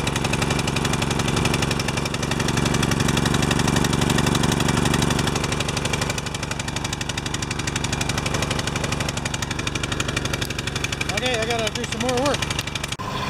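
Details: Pressure washer small engine with automatic choke, after fall storage, clogged bolt cleared, oil changed and new air filter, runs lumpy and uneven with a pulse about four times a second; choke opening late keeps it rough, bimetal strip later adjusted.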